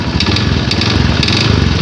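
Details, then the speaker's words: Honda Beat Street scooter that suddenly seized and was hard to start, run after oil ran dry; idle with sharp metallic knock about twice a second when revved; suspected connecting rod and piston damage, needs engine teardown. "tuh akibat dari oli sampai kering di dalamnya otomatis spare platnya ada yang kena ini saat digas di secara spontan maka dia ada bunyi ker k ker nih"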